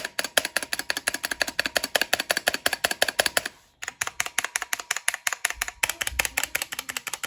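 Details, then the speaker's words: Drop ALT keyboard with stock stabilizers, unplugged, before swapping to lubed Zeal Cherry stabilizers: quick bright key clacks, about three a second, with a faint metallic ping, especially on the spacebar. "see we can hear a little bit of pinging noise in there right especially on the space bar"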